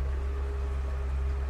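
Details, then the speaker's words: 2005 Hewescraft 180 SeaRunner, main outboard a Honda 90 with 686 hours, on the water at part throttle: deep, even drone with water rushing underneath, no misses or knocks; motor running good. "motor's running good we're right about there on the throttle"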